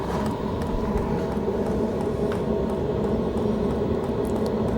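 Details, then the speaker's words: Hcalory TB2S toolbox diesel heater on heat level 10, about 1 min 52 s into warm-up with a temperature reading of about 102°: a steady, even rush of fan and burner with no knocks, surges or rattles; normal running while warming up. "All right. So, it's still warming up right now. And you can start to hear the fan operate."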